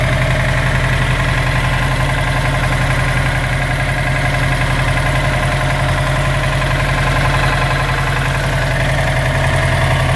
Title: 2006 sti rod knock?